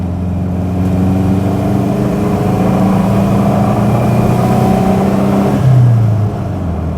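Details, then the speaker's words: Subaru MV284/Brumby/BRAT pick-up pulling hard in first gear: steady mechanical drone and transmission whine, then a pitch drop at the gear change. The gearbox is notchy, and this noise is normal for the Subaru. "The gearbox very notchy. You can definitely feel the gears going in and uh bit of transmission noise is something you do get in Subarus."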